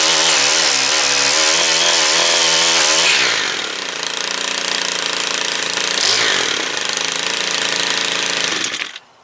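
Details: Stihl two-stroke tool after clutch service (seized clutch cleaned and reassembled): high-pitched two-stroke screams at full throttle, drops cleanly to lower idle, blips and settles; normal running after repair.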